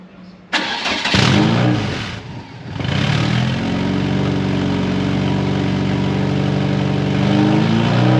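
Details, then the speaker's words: MK1 Fiesta with a Zetec engine, just converted to fuel injection with the exhaust cut and not yet remade. It cranks, catches and settles into a loud, raw, blaring idle with rasp on revs, louder than it should be. Exhaust leak ahead of the cat. "although the exhaust makes more noise than it should do."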